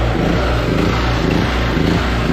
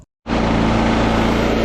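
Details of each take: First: Small 5.7 hp generator, started the morning after a night's running during a blackout: engine note pulses about twice a second, pitch hunting up and down at idle; surging, low idle jet needs cleaning, probably some dirt in it. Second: Generator after carburettor cleaning and reassembly: steady, even engine drone with a constant low hum and no hunting or surging. It now runs smoothly and beautifully.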